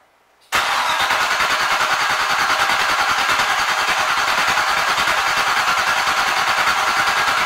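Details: Jeep CJ7 with newly installed Chevrolet Performance 350 H.O. 333 hp turnkey engine, new fuel lines, first start attempt with fuel pressure reading 0.0: steady fast cranking, about three turns a second, never fires. Crank no-start, likely no fuel.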